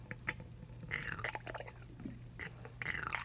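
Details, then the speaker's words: Reverse osmosis faucet making irregular wet slurping, gurgling suction bursts over a steady low hum; no leak from the faucet neck hose, the air gap base where two hoses join (one the drain line) is malfunctioning and the whole base needs replacing. "if you go right down in here is a part that two hoses fit into one of which is the drain line so it's very obvious that that part is malfunctioning and this entire base needs to be replaced"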